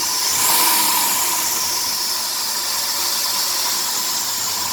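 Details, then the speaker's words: 2003 Dodge Grand Caravan 3.3 with 372,528 miles, revving: a sharp airy hiss with a thin high chirp, louder near 2000 rpm. It is vacuum-like but the engine runs smoothly, and a water spray on the belt silences it. The idler, tensioner pulley and power steering pump are already replaced; the owner suspects the drive belt. "almost sounds like a vacuum noise but the engine runs too smoothly to be a vacuum so i think i'm going to try a new drive belt and see what happens"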